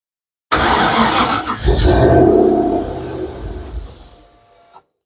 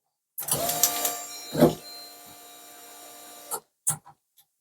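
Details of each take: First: Mk1 Ford Capri with Rover V8 turbo, rebuilt bottom end, ECU wired and fuel system done, first start: catches with a loud rough roar, smoke, stumbles and dies within about four seconds; owner thinks it may be a bit rich. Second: Mk1 Ford Capri with Rover V8 turbo, unmapped ECU, before first start: about three seconds of steady electric whir with faint ticking at key-on as system wets cylinders with fuel, then stops; normal priming.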